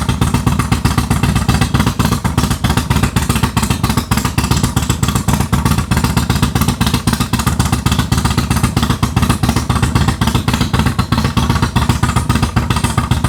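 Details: Harley Dyna V-twin with Comp Cams 4102 cam, after custom ThunderMax tune built without a base map: strong, steady lope, even firing pulses about four per second, deep exhaust; smooth, healthy running.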